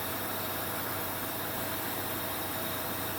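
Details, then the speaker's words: 2003 Jeep Grand Cherokee 4.7 at idle after cleaning idle air control valve, valve suspected breaking internally; even steady idle with soft suction hiss, no hunting or surging, air bleed valve working normally. "i don't know if you can hear that suction sound but that's the uh right there that's that air bleed valve working like it's supposed to"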